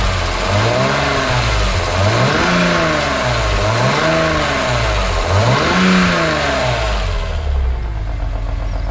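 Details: BMW E46 M3 S54 engine warming toward 75°C oil, revved in slow cycles: coarse rumbling rattle in the mid-revs that gets louder as it warms; suspected VANOS rattle.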